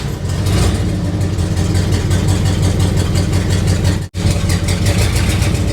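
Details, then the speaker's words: 1976 Chevy or 1964 Chrysler after new spark plugs and two replaced plug wires: loud, deep, uneven lumpy idle, missing on a cylinder; plug wires pulled one by one to find it, owner suspects a vacuum leak from ports covered only with tape. "It sounds like it's got a a mess."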